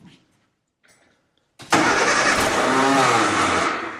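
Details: 1965 Austin Healey after years of neglect, fuel line temporarily routed through paper towels: silence, short crank, then it catches and roars about two seconds before fading; fires but won't keep running, cause suspected, not confirmed.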